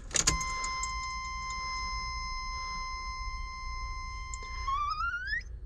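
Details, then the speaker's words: Fuel pump priming with key on, check engine light lit, engine not starting: steady high-pitched whine for several seconds, climbing at the end, as fuel pressure gauge rises to about six and a connection leaks slightly. "which sounds like a fuel pump is running if you hear that high-pitched squeal i believe that's a fuel pump"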